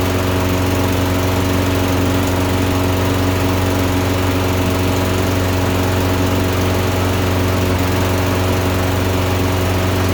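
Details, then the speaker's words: Toro Recycler mower with a Briggs & Stratton engine that ran rich from new, fitted with a high-altitude jet: runs fine about 30 s, then an uneven burble, worsening as it heats; owner suspects plug fouling; intermittent misfire. "so it runs good for about 30 seconds and then i think the plug gets fouled and it starts to misfire"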